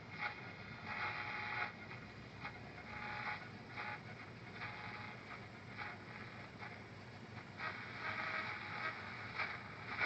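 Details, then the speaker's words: Realistic DX-100 shortwave radio from eBay, seller reported problems; volume about 80%, fans and AC off: only soft steady hiss swelling and fading while tuning, no stations found; weak, near-deaf reception. "well I'm getting more static now than I did before maybe it's because I've got everything turned off so that you can hear me all the fans and air conditioning so that's good I can hear more s than I could before before it sounded like it was totally deaf can't find a station"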